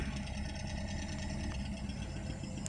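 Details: Colt engine that stumbled and ran weak: uneven, lumpy idle with dropped pulses; cylinder 4 not firing, traced by pulling plug leads with engine running to a dead spark plug.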